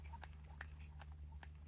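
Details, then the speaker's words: Dry gritty crackles as an Audi's front suspension ball joint is rocked by hand; split boot left it without grease, rusted and worn, confirmed cause of front-end clunk over bumps. "That there, inside that boot, is supposed to be filled with grease, and this one isn't, and you can see it's just covered in rust. So that has been split for a really long time, and it's basically rusted out and it's worn it out basically. So that is 100% the cause of the clunking."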